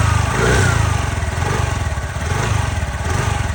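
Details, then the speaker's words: 2025 TVS Jupiter 110 scooter after a service-centre repair of engine tappet noise with the overhead opened: even low putter at idle, no tapping from the top end; the noise is gone: normal idle. "तो यहां पे आप sound सुन low sound चला गया है। दो घंटा लगा उनको बनाने में और आवाज चला गया।"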